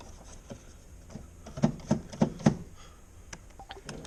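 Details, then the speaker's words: Jeep parasitic draw test: about 310 mA measured with a meter at fuse 8; four quick light clicks in a quiet cabin as the door lock actuators try to fire each time that circuit is powered, causing the drain. "If you listen close, you can hear every time I hook that fuse back up through the meter and give that circuit power, you can hear the door locks trying to click."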